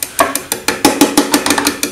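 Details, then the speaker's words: Bosch coil-type common rail injector driven by an MM03 mini tester from 12 V in continuous cycle mode: crisp, even ticks about six per second; normal injector operation. "It comes on then, just let it go, select the voltage, and when we're in this mode it keeps continuously pulsing the injector"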